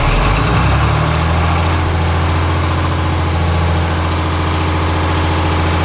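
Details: John Deere 4020 Hi-Crop Powershift diesel, first run on fresh fuel, ether-primed: steady low clatter that never picks up with throttle; owner suspects injectors or injection pump; no throttle response.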